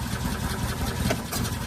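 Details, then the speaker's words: Golf cart cranks briefly and stumbles as it tries to fire, then dies; fuel pump gives a steady stream but the gauge shows insufficient fuel pressure; crank no start from low fuel pressure. "The very first initial it tries to bust bust off a little bit, but that's it. Other than that, there nothing. They ain't cranking up, man. That's called lack of pressure."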